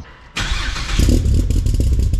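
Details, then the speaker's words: Freshly built brand-new engine in a car with solid engine mounts, first startup before tuning: catches at once into a deep, heavy, lumpy idle, thumps into gear, no knocks or rattles; sounds healthy. "so if you does sound pretty good thumps into gear this thing has solid engine mounts in it and God doesn't vibrate through the car"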